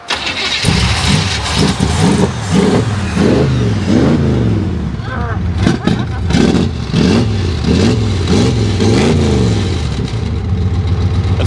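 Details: 1971 Chevy Nova SS 4-speed V8, long sat and just fuelled, no radiator cap, cranked until it fired: settles into an even rumble with smooth throttle blips; owner says it lacks power for what he wants and the transmission falls out of fourth gear or something similar.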